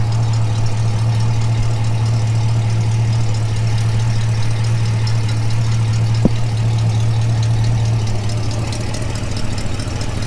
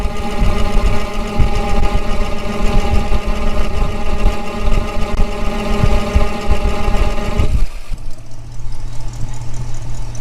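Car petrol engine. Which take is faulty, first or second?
first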